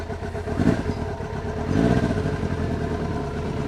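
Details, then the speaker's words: 1999 Kawasaki ZRX1100, revived after sitting neglected twelve years, airbox deleted, cold start on an April afternoon. Uneven, stumbling idle with occasional dropped pulses; misfire fades as it warms, improved from before but not yet right. "misfire does go away after a little while, but I think it does sound a little bit better than it did in the last segment."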